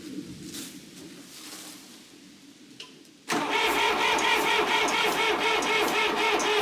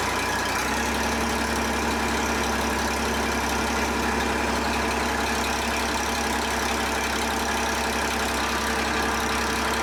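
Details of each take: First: John Deere 350B bulldozer rebuilt diesel, first start after rebuild: fast steady clatter while coolant blows out the overflow, pressure building fast; head gasket leak into cooling system. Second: John Deere 350B bulldozer, rebuilt diesel engine: catches and drops to a steady, even low idle with a smooth rumble, no knocking or hunting; healthy start, normal idle.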